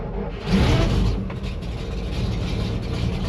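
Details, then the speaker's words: 1961 GMC COE truck from auction, cold start at 35°F: old six catches almost at once, oil pressure comes right up, no air pressure yet, settles into steady, even low rumble without knocks or misses; normal cold start. "Fires right up. No air pressure this morning. Oil pressure's coming right up."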